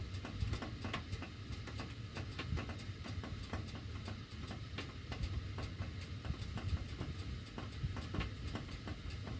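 Sharp, slightly uneven ticks, two or three a second, over a low airflow rumble; the ductwork clicks while the heat runs.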